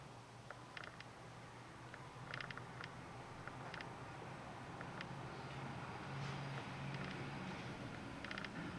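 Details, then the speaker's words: Canon RF 15-35mm F2.8L IS lens, video focus-pull test: faint, quiet clusters of soft clicks from the small linear-type (non-ring USM) focus motor over low room hum; normal, fairly quiet autofocus noise. "you can hear a little bit of clicking there. And in fact, you know, if you put your ear close during even normal focus, you'll hear just a little of that noise that is there. But overall, it's quite quiet."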